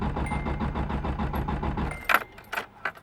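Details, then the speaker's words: Nissan KA engine with fuel pump fuse removed to bleed fuel pressure before replacing the fuel pressure regulator; starter cranks steadily, about two turns a second, and never catches; no fuel, no start. "so we're gonna get rid of all this fuel also depending how much fuel you have the car will start and bog out so in my case since my car already has trouble starting um it's not going to do that"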